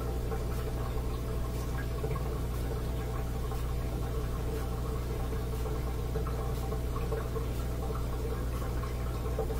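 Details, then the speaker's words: Bosch Axxis washer in diagnostic test mode, which won't spin during its cycle: steady low drain pump hum with water gurgling through, no grinding or rattling; drain pump works normally, fault suspected in the water valve instead. "here's fan kicked me in drain pump all right I think the drain phones working fine"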